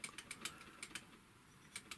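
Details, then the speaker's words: Typical GC6150H industrial sewing machine, handwheel rocked back and forth by hand: light paired metallic ticks from the hook basket tapping its positioning finger, normal on all machines; a rustle under the pulley remains unexplained. "Ну, это, скорее всего, сетка челнока об установочный палец цокает. Значит, такое происходит во всех машинах."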